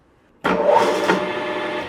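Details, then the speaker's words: Grizzly G4003 lathe running with one sudden loud bang that rings down as the motor momentarily hangs up then kicks in, before the fix; gearbox bearing pack first suspected, but the cause wasn't bearings, shafts or gears. "So, you heard it there. Again. I hear that it kind of hung up and then kicked in."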